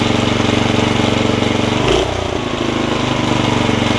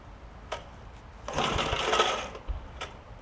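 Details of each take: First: Snapper tiller, 5hp Briggs engine, after a stuck valve fix, pull rope lubrication, a new carb diaphragm and the jet opened back up: it starts right up and runs with a steady, even chug at fast idle, normal. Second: Snapper tiller with 5 hp Briggs engine (estate find; stuck valve already freed): a rasping, whirring starter pull with a thin squeal, dry ball bearings in the recoil starter needing lube; engine tried to fire.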